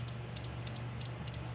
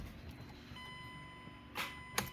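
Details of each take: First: Starter relay bench click test, positive on pin 85, negative on 86: crisp paired clicks, about three sets a second, as power is tapped on and off; relay pulls in cleanly, normal relay click. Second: 2008 Mazda CX7 2.3 L turbo with a rebuilt 2010 replacement engine: dash chime, then a single sharp click and no cranking when the key is turned; no power reaching the starter.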